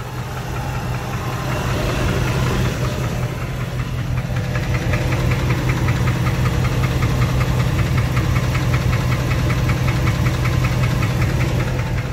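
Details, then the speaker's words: 2005 Dodge Ram 1500 5.7 Hemi: deep steady knock at two or three per second over idle; owner suspects spun bearing in the bottom end, others suggest flexplate; unconfirmed. "sounds like the Bering sounds like a bearing the bottom end [Music] yeah I mean I think it's the bearing I definitely think the bearings ban on this"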